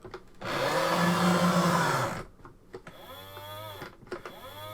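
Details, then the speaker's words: Sega video driver toy car with fresh batteries, steered from its wheel: loud coarse grinding, then it jams with a strained whine. Loose motor gear grinding and jamming the drive. "And now it's stuck. Oh, that sounds well, doesn't it? Ah, it's stuck again."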